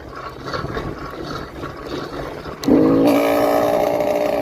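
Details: Motorized bicycle two-stroke with freshly ported 49mm iron-bore cylinder, literally the first start after the build: scuffing rumble, then it catches at once and holds a steady, high buzzing note; runs normally.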